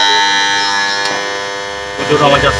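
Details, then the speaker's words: Submersible pump starter panel box: loud, steady electrical buzz at one pitch when switched on; a broken relay hums and is replaced with a new one. "প্রচণ্ড আওয়াজ হচ্ছে। এটা ভেঙে আছে, এই রিলেটা ভেঙে আছে।"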